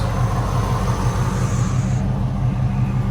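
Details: Ram Daytona V8 after fixing a misfire, including replacing the EGR valve: low, steady rumble with an even, unbroken beat and no stumble or skip. The engine is idling smoothly.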